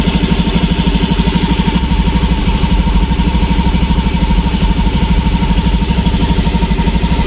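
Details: Motorcycle with intermittent stumbling/hesitation, no fault codes, after adding a ground (mass) wire, resistance dropping from about 21–24 to 3.6: steady, even single-cylinder idle pulse with no stumble or dropouts; runs smoothly.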